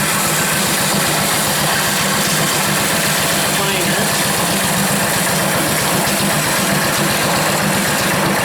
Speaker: so here they're starting to bind together it's really horrible noise about there hear that noise that's horrible right